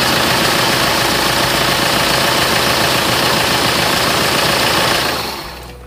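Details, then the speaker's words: Tiger D4D diesel with a long-cranking morning-start problem, cold morning start after sitting overnight following the repair: fires straight into a steady even clatter without long cranking, shut off after five seconds, problem solved; normal cold start. "ดูแล้วตอนเช้าก็ทีเดียวติดนะครับก็แสดงว่าปัญหาตัวนี้ก็จบไป"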